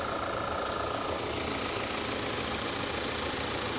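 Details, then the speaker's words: 2011 Audi A5 with manual transmission at a Copart auction: steady, even idle with light hiss, no knocks or ticks standing out; engine sounds healthy, normal idle. "Audi just does things differently but it doesn't sound too bad at all it really doesn't"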